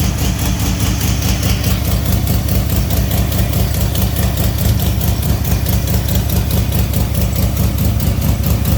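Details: Fox-body with SLP exhaust, cold start after a junkyard 3G alternator swap; deep steady V8 burble at a fast cold idle, even pulses, no misses or knocks; healthy cold start.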